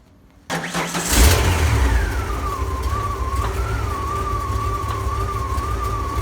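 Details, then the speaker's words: Ford F-series highboy truck with a brand-new engine and gearbox, replacing the old engine that threw rings and leaked oil: start for the first test drive; catches after a brief crank, revs cleanly, pulls evenly with no knocks or rattles. "she runs like a dream fiona 2.0 there we go coffee fiona maiden voyage on fiona 2.0 about to take on a first day of a test drive hopefully it all goes well"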